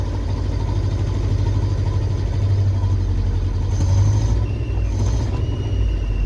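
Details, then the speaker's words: Land Rover put back together, started with a little choke and given gas: lumpy, uneven, loping low beat like a David Brown tractor. Still misfiring and sounding pretty bad; back to the drawing board. "so it's a little tiny bit of Choke give it some gas in it doesn't sound very good still misfiring man that sounds pretty bad still"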